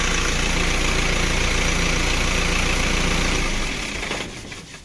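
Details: Isuzu diesel engine with a no-start traced to the stop motor cable and fuse; after the fuse connection was checked, it gives an even diesel clatter for about 3.5 seconds, then winds down and stops cleanly, running and shutting off normally.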